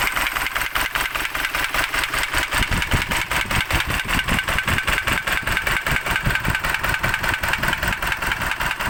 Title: isuzu 4jj1 trouble engine knocking